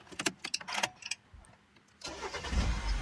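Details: Mini Countryman after replacing the faulty brake servo pressure sensor: a few clicks, a short pause, then the engine catches promptly and settles into a low even idle; start/stop error and engine light cleared; normal start.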